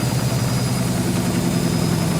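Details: German washing machine on high-speed spin after repaired dampers were fitted, with the cushions removed. It stands on four feet on linoleum over a chipboard floor, mid-bathroom, unpropped. Loud, steady low drumming rumble with heavy shake: excessive drum vibration, though the machine stays in place.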